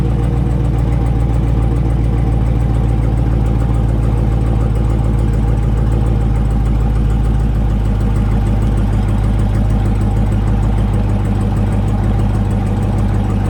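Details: 2020 Dodge Charger 392 Scat Pack, brand-new HEMI V8, cold start: light fast ticking over a steady idle rumble, said to be lifters hitting the cam, described as a HEMI design trait; lifter tick on cold start.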